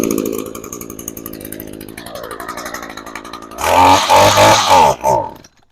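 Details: Brand-new Echo PAS 225 two-stroke trimmer, fuel left in tank: high buzzy idle winding into a few crisp revs before shutting off; starts and runs normally. Earlier no-start attributed to storing with fuel instead of running dry.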